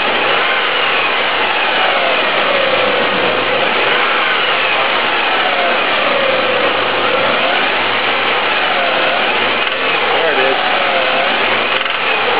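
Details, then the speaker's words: 1998 Honda Passport 3.2L, engine revved up and down repeatedly: a loud, rhythmic metallic rapping knock comes in only near peak rpm and fades as revs fall; it varies with how hard the engine is accelerated, is the same warm or cold, and a rod bearing is suspected. "So ya notice how... you can only really hear it... about the time the RPM is starting to peak out. You hear that... rapping noise, and then it goes away as the RPM slows back down again."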